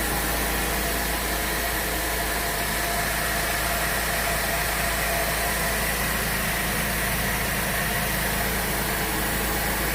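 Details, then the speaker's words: Pontiac 3.6 L V6 after a second timing chain and cam phaser replacement (bank 1 chain had been slack): even, steady idle with no knocks, ticks or rattles under a loud background hiss. "there you go it's done it's complete well for the second time in a row is back running"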